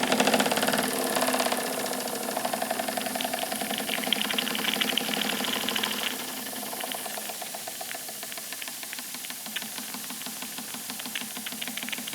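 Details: Wilesco D455 steam engine running after the boiler reached pressure and the safety valve lifted: quick, even chuffing of about four beats a second over a soft hiss, running freely and smoothly. Normal steam engine running.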